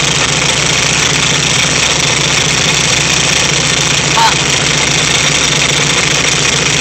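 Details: VW Type 3 1600 cc single-port engine, first start after rebuild: even, steady idle with strong cooling-fan hiss and no knocks or misses; fresh engine settles in cleanly, normal idle.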